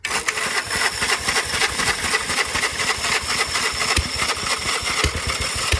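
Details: 1946 Gravely Model L single-cylinder, first run after about five years idle, started with ether in neutral at mid throttle; quick even popping about four beats a second, steady without stumbling, normal running.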